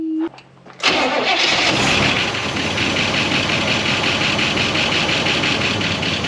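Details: 1969 Buick Wildcat, barn-stored 26 years since 1998, after its first revival run with coolant very low and the water pump weeping: cranks briefly, catches in under a second, and settles into a steady, even run with no knocks or misses; runs well.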